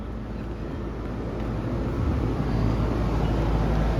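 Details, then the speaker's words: Home inspection, outdoor AC condenser unit checked from outside while cooling runs: steady low hum and fan rush with slight swell, no squeal, rattle or grinding; sounds exactly as an AC should. "Yeah, that sounds good. That's exactly what an AC should sound like."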